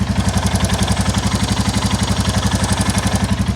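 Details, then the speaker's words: 2022 Royal Enfield Classic 350 Reborn, stolen and recovered, at idle before a valve adjustment; sharp regular tick at about four a second from the top end and also the bottom end; the bottom-end tick is traced to an exhaust joint blow; ticking at idle. "if I take my mic off you can sort of hear the top end that happing but also it's doing it from the bottom end as well so we got the top end"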